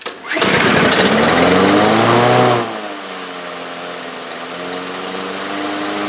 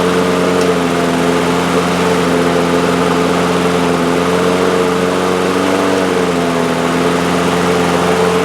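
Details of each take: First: Two-year-old DeWalt mower with a Briggs & Stratton engine, after a new carburetor main jet: starts on the first pull and screams up to a high, climbing rev; it runs too fast. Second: Two-year-old DeWalt mower with Briggs & Stratton engine, after freeing a stuck choke: one-pull start, steady even hum at constant governed speed with no hunting or surging; running normally.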